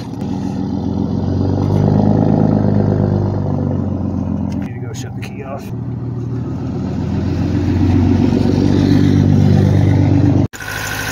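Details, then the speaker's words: 1976 Chevy LUV 4x4 four-cylinder, long sitting, just started after fuel priming: low, lumpy, loping idle with surging revs; sick engine believed running on two cylinders with no compression on two, compression test to confirm. "so she's running yeah you can really tell she's sick"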